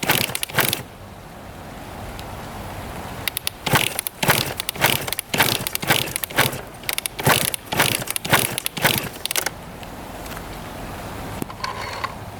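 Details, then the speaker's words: 1999 Suzuki RM80 two-stroke with good compression and original Mikuni carb, being kicked about twice a second: clattering strokes with no firing. It cranks but won't start; no spark suspected. "yeah she definitely does not want to go must not be getting spark or something"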